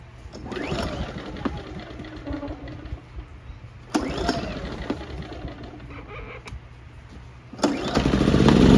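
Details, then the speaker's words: A-iPower SUA2300i/SC2300i portable inverter generator after no-start carburetor repair and Seafoam fuel treatment: a few pulls and sputters, then it catches and settles to steady speed; normal start. "Alright guys, the generator is ready. Let's give it a start."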